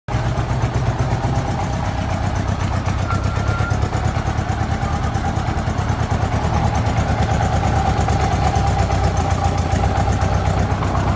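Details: Honda GL1200 motorcycle engine idling with a steady, rough knocking pulse, about four beats a second.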